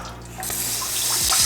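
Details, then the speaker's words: Newly installed bidet attachment on a toilet, tested at full flow, described as powerful and shooting quite a bit. A strong, steady hiss of spray builds and holds without sputtering. Normal spray at healthy pressure. "But anyways, it's pretty nice. I mean, it'll shoot quite a bit."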